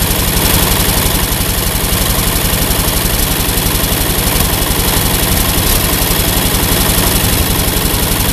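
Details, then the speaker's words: Ford 8N tractor keeps chugging evenly at idle with the ignition switch disconnected; the owner later traced this to a one-wire alternator on a 3-wire harness energizing the circuit and dead-headed that wire. "one minor problem evidently i have disconnected the ignition switch not being able to shut off the engine is kind of a dumb thing to do"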